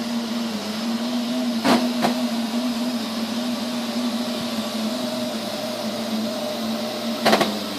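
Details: Neato robot vacuum, used fewer than 30 times: steady mid-pitched motor drone broken by sudden short loud bursts at random intervals and lengths, cause unclear: intermittent loud noise.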